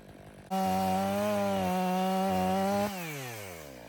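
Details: Stihl MS 500i chainsaw (62 hours, stale fuel after long sitting), warm, cutting frozen wood after recalibration and fuel purge: strong steady high revs hold through the cut without stumbling, then wind down cleanly. The main problem is believed to have been the fuel pump.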